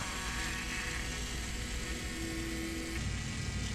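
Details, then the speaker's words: Engine off on a John Deere 6115M tractor after a fuel filter change: a steady, even electric buzz as the lift pump keeps running to fill the filter and bleed air. There seems to be no bleed screw, and it is unclear whether the pump cuts off. "I can still hear it running at least it sounds that way"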